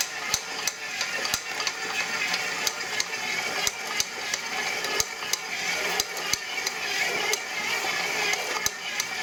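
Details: Brand-new KitchenAid Pro Line 7-qt mixer running: sharp loud clicks once or twice a second from the gear assembly, much louder than the mixing hum; gear clicking.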